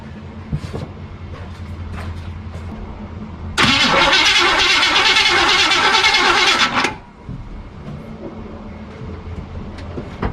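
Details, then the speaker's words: 1976 Chevy Cheyenne C10 4x4 pulled from the bush, cranked with ignition off and premix in the carburetor: about three seconds of brisk, even cranking with no firing; no spark because the distributor was left unconnected. "No fire. There is no fire."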